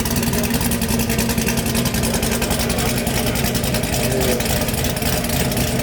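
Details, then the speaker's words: Swapped 1000+ hp V8 in the Camaro, gauge newly fitted: deep, rhythmic, lumpy idle with even pulses and no misfires or hunting, sounds better than before; normal idle. "Yeah. Wow. It's weird with this [ __ ] gauge in here now. This sounds definitely better."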